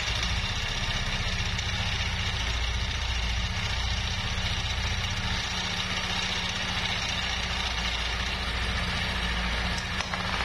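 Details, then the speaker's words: Yamaha NMAX scooter with grumbling, noisy engine: steady running with dull, uneven low rumble under idle; rattling traced to very loose, worn camshaft bearing in the head, to be replaced; CVT also contributes grumble. "Nah ini dia longgar banget ya bosku jadi untuk masalah bunyi trektek itu udah ketemu ibu SKU ada di Huawei Yahya dan ini pun nanti bakal sekalian diganti ya bosku"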